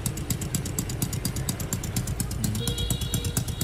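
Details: Brand-new Jincheng 110cc two-stage-clutch (côn hai nồi) motorcycle engine on a test run: steady, even low putter at idle with no knocks, ticks or whine, a smooth and healthy small single.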